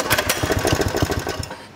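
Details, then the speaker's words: Engine started after belt refitted, before cover goes back on; catches with quick uneven chugs for about 1.5 seconds then dies, won't hold idle; owner suspects idle set too low; stalls after starting. "it wants to go you know what i think i think that the idol is just a little low and they set these things and put a bit of paint on them but that just doesn't want to go"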